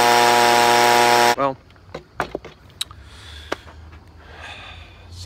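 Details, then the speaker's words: Stihl BG 55 two-stroke leaf blower after carburetor cleaning, on fresh gas: clean, steady high rev with no stumbling or surging, running pretty smooth; problem likely a mix of bad gas and dirty carburetor. Normal running. "like it's running pretty smooth they probably mixed between the bad gas and the dirty carburetor"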